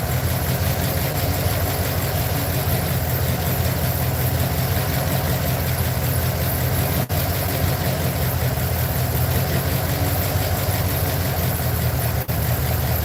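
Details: Truck V8 idling while checked for misfiring cylinders with an inductive timing light: rough lumpy idle with uneven low rumble and occasional stumbles; misfire, cause not confirmed.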